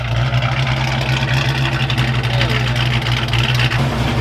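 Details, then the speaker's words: Foxbody Mustang V8 with freshly built engine: deep, steady idle with an even loping beat and no knocks or ticks; healthy, though air-fuel ratios later read lean when cruising. "all right guys got this thing running fire it up sounds pretty good today [Applause] that fresh motor sounds damn good today"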